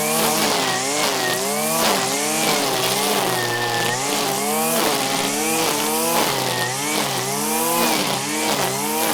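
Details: 1997 Stihl Pro Series FS two-stroke trimmer after carburettor tuning, cutting grass at full throttle: a high buzzing note dips under load and recovers, pulling strong and crisp. This is a healthy tune.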